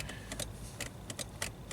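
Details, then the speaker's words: Subaru Outback rear wiper stuck after an ice storm, fuse good: sharp relay clicks in quick bursts as the switch is worked while the rear wiper motor never runs; relay clicking. "Okay, so we might have to pull a wiring diagram for this thing, see what exactly controls the wiper. You can hear a relay click when you"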